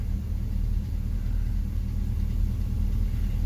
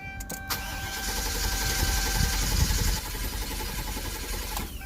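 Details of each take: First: 2004 Chevrolet Silverado 2500 HD 6.0L V8, automatic, idling with a slightly uneven stumbling beat; P0300 random misfire code, scan history shows cylinder six with about 34,000 misfires and cylinder five about 2,000. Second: 2004 Chevrolet Silverado 2500 HD 6.0 V8 with P0300 misfire, cranked with key on and foot to the floor to test for a stuck valve: steady, even starter rhythm, nice steady cadence.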